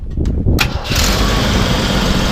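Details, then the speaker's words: 1983 Jeep CJ5 with AMC engine and four-speed, battery from March 2017, radiator and brakes flushed and oil changed: a few quick cranking pulses, then it catches at once and settles into a steady, even idle. A clean, easy start. "you know it does start really easy ahead and rev it up a little bit it really sounds great and really haven't had any issues with it"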